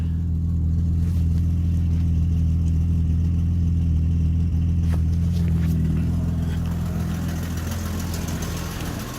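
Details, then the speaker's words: BMW E30 after alternator replacement: smooth, even idle with no belt squeak or chirp; charging now reads in the normal range where it was low before, healthy belt drive and charging. "you can hear it there's no squeaking are the belts but they did a good job maybe an excellent job"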